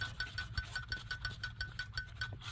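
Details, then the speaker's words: Hyundai Equus/Genesis 4.6/5.0 V8, original water pump at 278k miles, belt removed and pulley spun by hand: rough, dragging tick about five or six times a second with a faint chirp; bearing binding and starting to seize, which caused constant squealing while running. "but for reference why I'm doing my water pump, see if you can hear it. You hear that resistance, the binding."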